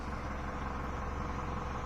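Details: 2011 Mini Cooper S after misfire diagnosis and ignition coil replaced with new Bosch coil, fault codes cleared: steady, even low idle with smooth hum, no stumble or missing beat, running cleanly on all cylinders.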